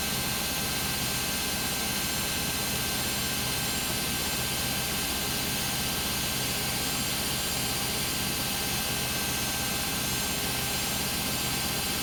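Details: Beko WM5100W 5 kg washing machine found on the street, loaded with rags, on a spin of about 10 minutes. A loud, steady roar with hiss on top and no clear knocking; a very loud spin, cause unknown.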